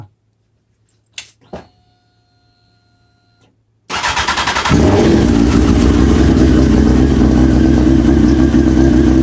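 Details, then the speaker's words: 2001 Honda 929RR sportbike, still running seven years after a spark plug heli-coil repair with debris left in the cylinder: a few clicks, then it catches and settles into a strong, even run with crisp throttle response. Runs healthy. "and as you can see it runs like a top this thing is so powerful man it's unbelievable all you do is crack the gas man"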